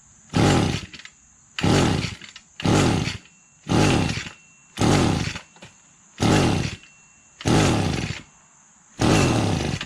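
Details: Echo GT-200B (Kioritz) two-stroke trimmer after recoil starter pull rope repair, just off choke: snaps up to a buzzing rev about every second and drops straight back to idle; revs cleanly, healthy.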